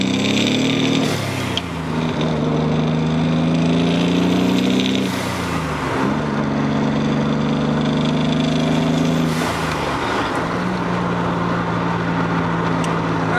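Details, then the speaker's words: Nissan Z31 turbo on a road drive after a new transmission install, window up: harsh gritty 'rocks in a blender' whirring rising and falling with each pull through the gears over road rumble; a gearbox bearing is suspected. "i don't know how much of that you guys can hear uh the best way i can describe it is rocks in a blender you know it's not really the best description but it really just does sound like something just isn't happy in it"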